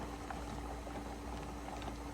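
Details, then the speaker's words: 23-quart pressure canner with 9 pints of lima beans, stove at 9 just below high, heating up before venting. A steady low hum under rolling, bubbly water with faint rattles, not yet at full steam. Pressure canner heating before venting. "It's starting to rock and roll, but we're waiting on steam."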